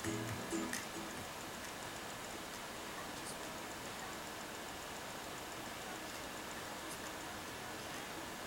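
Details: Alienware M17X R4 laptop optical drive reading a CD, with any disc: faint sharp ticks over a steady hiss, in a tick-and-pause rhythm while playing and ticking nonstop when paused.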